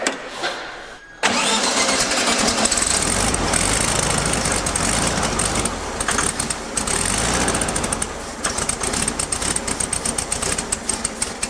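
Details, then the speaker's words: Classic VW Beetle convertible with a freshly rebuilt engine, first start after install: cranks, catches, then settles into a lumpy, uneven run that stumbles and hunts, running worse than it should; consistent with an open vacuum line. "We got the car running, although not as good as it probably should be running, right, Nathan?"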